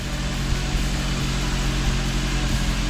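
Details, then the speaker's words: Honda S2000 just after its worn OEM timing chain tensioner was replaced with a Ballade unit, first start: steady, even low idle with no ticks or rattles, left to run to warm up. Normal idle. "all right guys that completes the install of the timing chain tensioner on a honda s2000 now we're going to start it up and see what it sounds like sounds really good"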